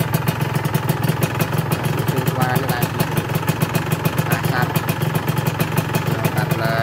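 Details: Honda NSR150R two-stroke on Enviro oil, still smoking: crisp, even popping at a steady idle that never stumbles, a healthy engine and exhaust.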